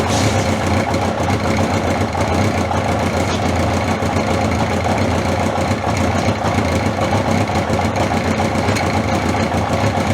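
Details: 1981 Honda CB750 K after battery refit, near-cold start with fuel turned on, warmed up: steady, even idle with smooth unbroken exhaust note and no knocks or misses; running normally, no oil leaks.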